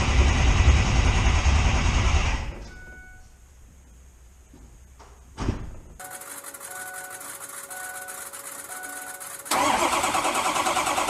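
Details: Diesel truck cranking on weak 7-year-old batteries (from early 2011), unplugged, started with ether after hot no-start repair with turbo intake duct refitted; loud cranking cuts out, brief catch, then steady idle; running after a year.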